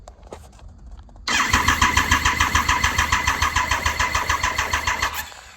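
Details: 2000 Triumph Sprint ST 955 motorcycle engine reinstalled after 24 years: starter spins it steadily with even compression pulses, about eight a second, for four seconds while building oil pressure, before first start; normal cranking.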